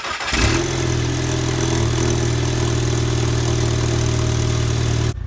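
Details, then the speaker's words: Normal idle after a big turbo install with repaired manifold, first start of the new setup, test pipe not yet connected, cold weather: cranks, fires quickly and settles into a smooth, steady idle with a loud open-exhaust drone. "all right guys so this is my first time turning on the web long story short seems all right"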